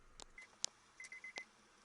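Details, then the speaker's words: Dead car's warning chime after jump-start cables connected from a running van: short high beeps in a quick even run in a quiet cab, which had not sounded before the jump; chime working normally. "okay so now this is the car that's dead you can hear the beeping now before you couldn't"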